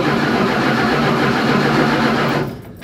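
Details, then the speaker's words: Dodge Dart during rewiring after steering column work, in neutral: starter churns steadily for over two seconds with no catch or firing; no ignition, no 12 volts to the ballast resistor. "just doesn't start so no ignition yeah no ignition no 12 volts to the ballast resistor currently"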